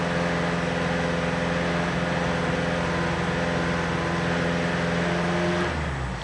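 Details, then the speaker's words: Ford Pinto with swapped unleaded cylinder head, new flex plate, torque converter and engine mounts: deep droning, throbbing resonant vibration from about 2,600 to just under 3,000 rpm, dying as revs drop, worsening over time; traced to the alternator bracket. "there she goes about just under 3 000 revs you're getting that droning throbbing resonant vibration it's been getting worse"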